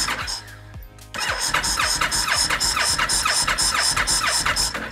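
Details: 2013 Honda VT1300 Stateline with old gas, key on, kill switch set: starter churns about two beats per second with a rattly metallic edge but never catches; crank, no start, spark present.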